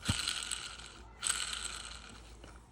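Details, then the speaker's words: 1996 Sea-Doo XP 800 with the 787 rotary engine torn down: a crankshaft bearing spun by hand gives a harsh, gritty rasp and is badly worn, so the crankshaft needs rebuilding or replacing. "upon inspecting the crankshaft this bearing wasn't too bad but you can hear that one's not the greatest and that one is the worst"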